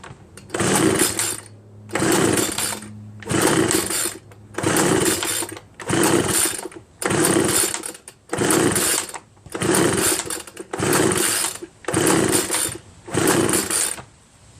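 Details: Homelite 25cc leaf blower taken from curbside trash, with spark and fuel: eleven steady cord pulls, roughly one every 1.3 seconds, with no pop or catch at all. No compression; teardown found a scored piston.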